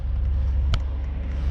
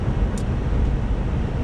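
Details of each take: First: 2006 Buick Lucerne V6 in cold winter, idle too high (should be ~700 rpm), check engine light on: deep lumpy idle with a sharp click; misfire, not fixed by new coil packs or earlier plugs and wires, cured by replacing the ignition control module. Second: 2006 Buick Lucerne in cold weather, after replacing coil packs and the faulty ignition control module that caused a misfire: short stretch of smooth, low, steady engine rumble while driving, no stumble or miss.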